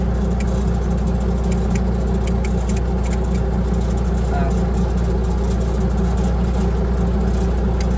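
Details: Bomag Hypac sheepsfoot vibratory roller diesel, running during repair of a hard-turning, cutting-out throttle switch and a blowing starting relay fuse; steady smooth drone at constant speed, nothing knocking, running normally.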